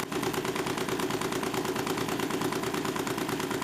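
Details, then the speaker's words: Homemade Stirling engine for a bicycle, running about 588 rpm after adding stainless steel mesh: fast steady knock several times a second; loose crank bolt noticed as likely cause, shaft wobble also seen. "Begitu mesin melambat, saya menyadari baut engkol ini kendur, yang mungkin menyebabkan suara ketukan."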